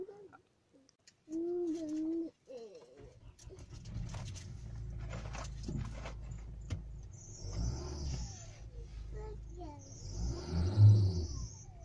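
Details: 2008 Hyundai i30 1.6 automatic, just after a cold start: chirpy squeals over the low idle rumble from loose alternator and AC belts slipping at the tensioner; happens daily, stops after about five minutes of driving.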